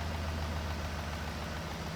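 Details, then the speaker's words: 2005 Ford Expedition V8 after fixing cylinder 8 misfire (P0358 despite replaced coil): smooth steady burble, no skip, cylinder contribution perfect; no PCM or coils needed, intake coil brackets broken. "Oh yeah, baby. We are nice and smooth. All right, there you go. And our cylinder contribution is perfect. We're golden."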